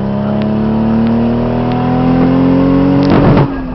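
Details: Nissan 240SX with RB25 turbo six: pulls cleanly, then stutters and pops around 5000 rpm and falls on its face, misfire from bad coil packs; replacing the coil packs fixed it.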